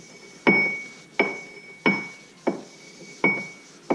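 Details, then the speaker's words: 9-inch third member during reassembly, gear rocked by hand before tightening the adjusters: sharp metallic clunks with a ringing tail, about six in four seconds; excessive ring-and-pinion backlash. "you might be able to hear that pretty is excessive tighten up from spanner see what happens"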